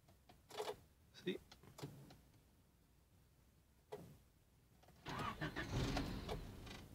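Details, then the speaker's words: 1994 Honda Civic coupe, daily driver: short cranking bursts, dash lights dim, then the engine catches briefly and fades out instead of settling. "however when I start it the lights get dimmer and it just turns off again see just like that"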